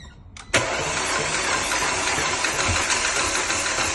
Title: 2009 Audi A5 TFSI 2.0 engine won't start. engine crank not turnover. Help needed